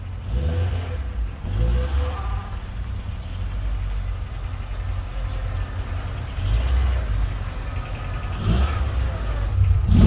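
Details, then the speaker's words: Rover 216GTi with an ongoing running fault, revved during troubleshooting: uneven lumpy wavering drone without clean pickup, unchanged from before; rough running when revved, cause not yet found. "just for a second then i thought it was a bit better but i don't think it is"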